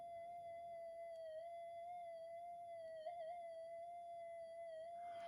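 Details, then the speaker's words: Minelab GPX 5000 metal detector with loss of depth: touching a multimeter lead to an op-amp output around the 4053 chip gives a steady tone near 700 Hz where it should be silent. Stray noise is leaking into the audio stage; cause unconfirmed. "it makes a bit of a noise if you can hear that it should be dead quiet"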